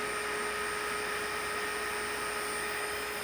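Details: Wilo pump motor, first trial run test: steady hum with a thin high whine that comes and goes and worsens under load, possibly bearing noise, cause unknown; abnormal motor noise compared with a normal second motor.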